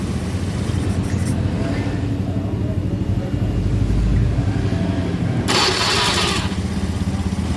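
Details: Honda Scoopy FI scooter after repairing a starter generator whose magnets had come loose: the starter spins the engine and it catches cleanly into a steady, even low putter; a healthy electric start.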